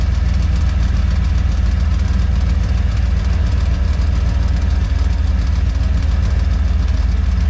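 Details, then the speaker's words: Boat on its first water test after interior refit: heavy deep idle with a loud steady rattle about three and a half per second; owner suspects a valve near the exhaust that wiggles. "hear a pretty nasty rattle. I'm assuming on the camera here. It says valve. It wiggles a little bit from the exhaust."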